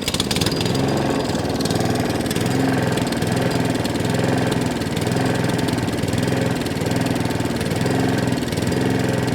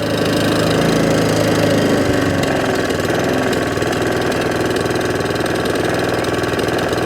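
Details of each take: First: Allett Kensington cylinder mower, Kawasaki FJ100 engine, revs hunting and surging up and down every couple of seconds, carburetor arm moving; generally means a fuel delivery problem. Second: Allett Kensington cylinder mower, Kawasaki FJ100 engine, after carb, fuel tap and fuel system clean for hunting and surging: steady even idle, smooth at low and high revs, no hunting or surging.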